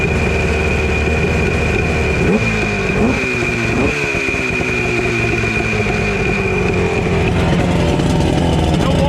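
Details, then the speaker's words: Chrysler 100 hp two-stroke outboard on 1982 Glasstream 17'6" boat, sat about six years: steady busy buzz with quick blips, even firing, no knocks; running healthy, water flow not yet seen at first, then hot water came out. "Not seeing any water flow out of it, but it sounds good."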